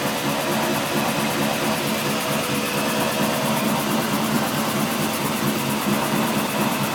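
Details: Loud constant hollow droning with a slow faint pulse while a wheel rolls, from diff, drive shaft or wheel hub; tail shaft replaced, diff newly reconditioned, noise occurs whichever wheel turns; owner suspects diff pinion or carrier bearing.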